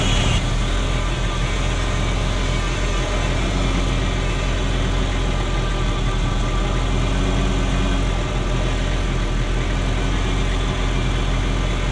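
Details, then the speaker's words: Ferrari Mondial V8 after cleaning and refitting the NGK plugs: deep drone with a lumpy, uneven beat. Bank B (cylinders 5-8, nearest the firewall) reading jumps around and misfires. Timing is out; owner suspects a sensor. "So as you can see, B is not where it should be, it's jumping around all over the place. So it's that bank that's misfiring."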